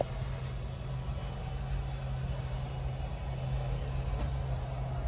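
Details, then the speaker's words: 2023 Forest River Chaparral Lite 30BHS travel trailer: even, low motor drone at a steady pitch while the bedroom slide-out extends, with no grinding; normal slide-out motor operation. "once you hear the clicking that's when you know it's fully extended next we'll do the bedroom slide that's making its way out"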